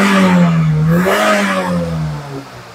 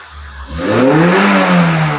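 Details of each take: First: Kembara VVT (K3 engine) after repair of black smoke and hesitation, exhaust cleaned, IAC still needs cleaning: revs up smoothly and eases back evenly without misses or knocks; normal revving. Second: Kembara VVT with a K3 engine, with black smoke and hesitation but no check-engine light, after a coil replacement and exhaust cleaning. The rpm surges up then sags back without throttle, an uneven hunting idle, and the engine sometimes stalls. The idle is unstable.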